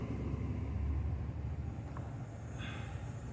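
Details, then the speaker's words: Samsung 11 ft refrigerator compressor after the start kit was replaced: deep, strained low hum at about 12.9 A with no run-up to speed, then the thermal overload trips; compressor fails to start. "the motor nothing starts let's go it's the thermal It trips"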